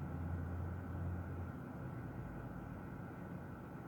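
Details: 2002 Ford F-350 Super Duty 7.3 diesel, cold morning hard start from a bad glow plug relay: deep steady drone, then uneven low rumble as it catches and settles toward idle.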